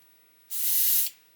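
Clean, even hiss for about half a second, then it cuts off; the airbrush is spraying smoothly with no spitting or sputter.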